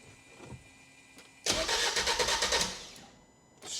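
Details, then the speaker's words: Crash-damaged salvage diesel van, long stood, AdBlue system fault shown: starter cranks fast and evenly, about three beats a second, but engine never catches; owner suspects low compression like a rebuilt 2 L, or AdBlue fault stopping it; unconfirmed. "cranking quite fast sounds all right it sounds like one of them transits or bingers is when you rebuild it the 2 L don't sound like it's got enough compression"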